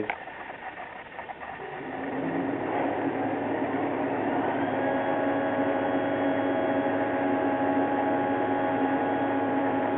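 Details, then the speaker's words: Toyota Prius electric air conditioner switched on: a steady electric hum with a thin whine fades in after two seconds and holds even, the compressor running normally. "all right so now you can hear whatever turn on the air-conditioner it's going to make for pretty interesting noise"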